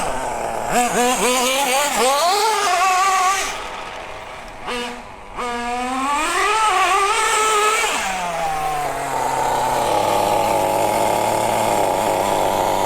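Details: Brand-new nitro RC car (MP9) being set up for first run after the mixture was richened back from too lean: high-pitched engine revs up and down cleanly, then a steady buzz with no stumble or sag; normal running.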